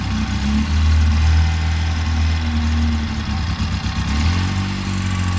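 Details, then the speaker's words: 2011 Polaris RZR 800 twin in neutral before a test drive: the idle is uneven and lumpy, with revs sagging and wavering in a loping irregular beat as it tries to stall; cause not confirmed. "She's trying to stall. Oh, sketchy."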